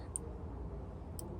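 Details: Throttle-body idle/throttle switch, seized then fixed by bending its actuating lever for earlier contact: two crisp, isolated clicks about a second apart over a quiet hum; switch now engaging cleanly.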